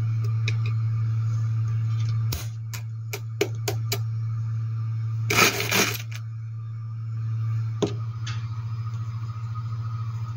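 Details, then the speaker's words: Homemade tool demagnetizer from a washing-machine drain pump motor stator, armature removed, on 230 V 50 Hz mains: steady deep hum with clinks and scrapes of a screwdriver passed over it; normal hum from the alternating field, harmless. "Il ronzio che si sente è una cosa normale ed è dovuto all'alternanza del campo magnetico, che crea delle vibrazioni sul pezzo e queste si avvertono anche sulla mano quando si passa l'utensile sulla superficie, ma non c'è nulla di pericoloso."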